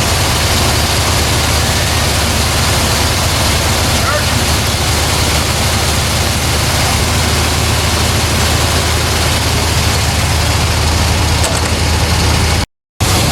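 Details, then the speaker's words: 1970 Chevrolet Corvette C3 after fixing upgrade faults: loud steady warm idle with deep even drone, no tapping, clattering or banging; possible new flat-tappet cam unknown; engine and transmission quiet, normal idle. "I drove it down the road it drives nice the engine's quiet transmission's quiet brakes feel great"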